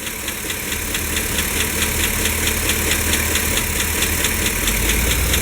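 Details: Chevy Silverado/GMC Sierra 5.3 V8 at idle with good oil pressure: sharp, light ticking about twice a second from a noisy valve lifter, intermittent; a new O-ring later solved it.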